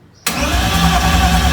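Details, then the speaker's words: BMW E30 with a freshly swapped M52B28 engine, fuel pump disconnected, cranking only before the first start while the warning light is watched. The starter spins the engine at an even, steady rhythm with no misses or grinding. Normal cranking. "Donc, pompe à essence, elle est débranchée. Donc, comme je t'ai dit, je vais juste tourner."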